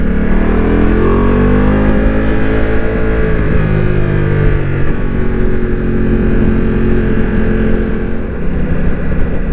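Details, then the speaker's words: Ducati Multistrada V4 with full Akrapovič exhaust, riding after a dealer software update: smooth steady V4 drone with throttle, no overrun crackle or bangs up or down, which it previously had. "Yeah, 100% no more pops or bangs. Both on up and down."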